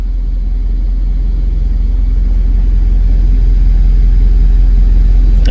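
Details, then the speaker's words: 1997 Jaguar XK8 V8 with 12,000 miles: heavy, uneven, lumpy rumble pulsing about three times a second, cycling between running fine and engine fault about every minute; a bad ignition module causes misfire on 4 of 8 cylinders. "Okay, we're running fine. And there it goes to engine fault."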